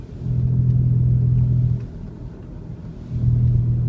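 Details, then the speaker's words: 2002 Honda CR-V driving with a deep droning growl from a badly worn rear wheel bearing, louder when turning right loads the bearing and quieter when turning left unloads it. "you see how when I turn right it goes away I mean it loads it up and puts weight on it so it makes it louder and I turn left and it goes away"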